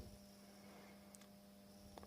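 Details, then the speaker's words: Welling 230 V AC induction pump motor from a Galanz dishwasher fed 50 V from a variac: quiet steady mains hum, rotor not turning; it only starts spinning around 80 V: stalled induction motor hum at undervoltage. "So 50 volts and nothing. Let's see if we can give it some assistance. You can hear that high voltage AC hum."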